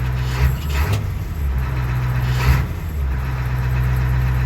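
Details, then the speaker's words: 1988 International 1654 wrecker with 7.3 IDI diesel after installing a Facet Duralift electric lift pump to cure air intrusion: steady, even diesel clatter that starts after glow plugs and holds idle. Throttle response quicker, normal running. "feels like the throttle response is a little quicker too there's not quite as much of a drag or lag"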